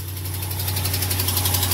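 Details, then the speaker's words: Dodge Ram 5.7L Hemi, 125,000 miles, cold first start of the morning: sharp fast ticking about eight per second at idle, heard on both sides, not a lifter/camshaft Hemi tick; suspected exhaust manifold leak from broken exhaust studs. "Ladies and gentlemen, that is a tick, but it's not. It's not from. Hey, it's on this side too. Okay, it's first thing in the morning, cold. That is not a lifter camshaft type tick."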